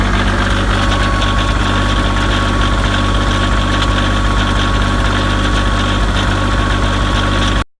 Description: Kioti CK2510HS tractor misfire on cold start